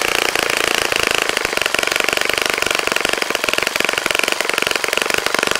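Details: Saito FA-65 model four-stroke glow engine, first run after rebuild, APC 12x6 prop, Morgan's Omega 10% fuel, Fox Miracle plug: crisp rapid even firing at high revs, steady pitch, no misses or rattles; normal running.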